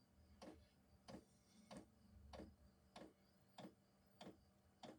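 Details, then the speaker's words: Diesel heater at its first start of the season: sharp, even ticks about 1.5 per second in a quiet room. This is the normal clicking of the fuel dosing pump kicking on. "oh see if you can hear that maybe that's the pump kicking on"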